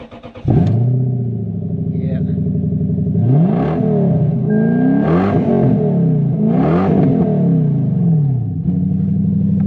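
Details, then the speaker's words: Lexus LS430 3UZ V8 at about 225,000 km starts, idles and blips with a loud, raw booming note; the exhaust is cut off just behind the driver's seat, and it resonates, rattles and shakes while driving. "so some guys might think that sounds really cool but when you're driving it it's actually got the exhaust cut off like just behind the driver's seat and it resonates and rattles and shakes and is horrible"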